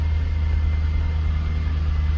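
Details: Jaguar XK8 V8 just after first start since 2015 on old original petrol, cold weather, new oil and fuel pump: smooth, deep, steady idle rumble with no ticks, knocks or stumbles; oil pressure and new alternator charging, engine light on.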